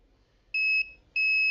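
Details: Redmi 9A dead phone: two steady high continuity beeps, each about a third of a second, from the meter on a CPU-corner capacitor of the 3.0 V USB line, beeping on both sides; the line is shorted to ground.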